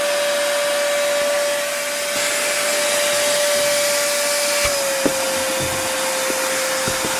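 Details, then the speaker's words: Hilti vacuum switched to eco mode: the steady high whine drops in rpm, then a dull thump about every half second as the automatic filter cleaning runs; normal. "so you could sort of hear from that that when you put into the Eco Mode definitely drops down the um RPM on the vacuum and you can have Auto filter cleaning which you can hear that thumping that it's like cleaning the filter"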